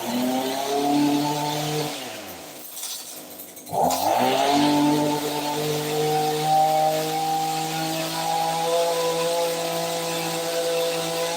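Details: ECHO SRM-2620T 25.4cc two-stroke trimmer after Walbro carburetor overhaul: buzzy note dips as the throttle drops, then picks back up and holds a steady even idle; running normally.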